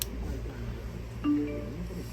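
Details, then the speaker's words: HT21 3G amplifier board after its burnt Bluetooth chip was replaced: steady low hum with faint warbling, chime-like tones, constant interference noise from the speaker output, louder as the mid control is raised, switched to mic mode and jumpered to run continuously. "อ่ะนี่นะฮะเห็นมครับมีเสียงไปมีตลอดเลยนะฮะเนี่ยมีเสียงแบบกวนใจเหมือนเสียงวงสัญญาณรบกวนอะไรก็ไม่รู้นะครับ"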